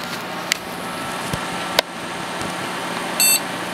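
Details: Athlon XP PC with a suspect power supply, after a BIOS reflash and CMOS clear, powered back on: one short clean beep over fan hum, the normal successful POST beep, then a CMOS checksum error and defaults loaded.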